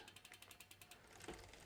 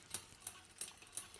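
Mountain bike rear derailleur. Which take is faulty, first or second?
second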